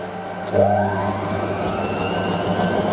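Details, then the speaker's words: Hotpoint 9530 Electronic 1000 Plus washer, Programme 4 50°C coloured synthetics, polyester/cotton load, spin: steady motor whir with low hum settling into even spin; load only slightly unbalanced, normal. "Okay. balance well on the synthetic cycle. Slightly unbalanced, not much."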